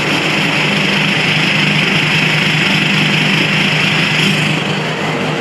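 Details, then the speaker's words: VW Touareg V10 TDI twin-turbo diesel, just reinstalled, tuned and deleted, full straight-pipe exhaust, idling while transmission is filled: loud raw even drone with hard rasp, no knocks or misses; healthy. "So here is your first look at that 100% straight pipe V10 diesel."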